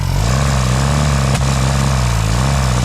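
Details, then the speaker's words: 1957 Peugeot 403 U8 pickup, thought unrun for 34 years, running after revival with a fuel feed: a steady even low rumble with a firm regular beat and no knocks or misses. Healthy running. "It ran! Rebuild. So it's the next day and I'm pumped that it actually runs."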